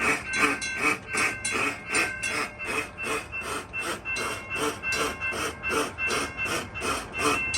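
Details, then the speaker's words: Railroad crossing gate hold clear device malfunction: a steady ringing clank repeating about two and a half times a second. The fault can damage the mechanism and sets the other signal going crazy. "I'm going to demonstrate the second malfunction, and this one I have to demonstrate quite quickly because it can damage the mechanism hold clear device."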